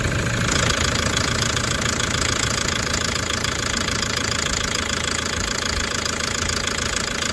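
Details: Toyota 1KD-FTV D4D diesel, injectors done the day before, fine on a 20 km road test: sharp regular metallic rattle, about three knocks a second, over the idle, cycling about 10 seconds on/off from cold; owner suspects water, later fixed itself.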